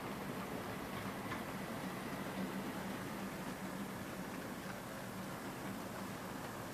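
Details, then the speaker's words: EFE/Kernow Southern Railway CC1 Booster model locomotive at 50% speed hauling a train: steady, even hum with faint track clicks, no whine or catch, drawing 200 milliamps under good load; runs normally after the noise in one direction settled. "And she's bang on 200 milliamps, so that's good. Very positive, 200 milliamps with a good load."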